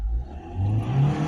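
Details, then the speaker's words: Ford Transit Custom diesel with repeated DPF blockage codes (P244C, P2463, P246C power limit), after resetting particulate filter learned values: rumble climbs quickly and smoothly with no hesitation or cut-off; now reaches full revs. "You can see you can now get full revs."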